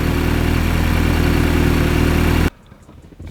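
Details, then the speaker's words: MK2 Audi TTS direct-injected engine after intake carbon (walnut) cleaning. Restarted after a random misfire fault was cleared and warming up to relearn. Smooth, steady low idle at about four pulses a second with no stumbles until shut off: normal. "And there you go. Listen to that kitty purr."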